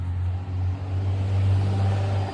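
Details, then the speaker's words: B8 Audi S4 with a little over 300,000 km, warmed up: deep steady drone at even pitch, no ticking or knocking; sounds healthy despite high mileage. "It's not that bad of a car. It is high KM, but it sounds healthy."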